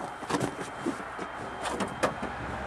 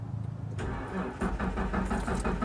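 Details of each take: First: Plow truck running with fuel pump fed from a bucket as a temporary fix, on a weak battery: a few rough cranking bursts, then catches and settles into a steady even run with no misses; successful start. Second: Plow truck: starter cranks with a steady, even churn but the engine never catches; no fuel delivery because the fuel pump failed.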